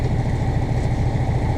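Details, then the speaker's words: Newly installed replacement diesel engine in a Morgan 41 Out Island sailboat, first hearing after install, about an hour already run: even, steady low throb at idle with regular firing pulses, no knocks or misses, quieter than the old engine; normal idle. "st crank it oh my guy sounds kind of funy though it sounds good so far that's noisy well we may have to put some soundproofing in after all maybe I'm just not used to hearing an engine yeah the other one was louder"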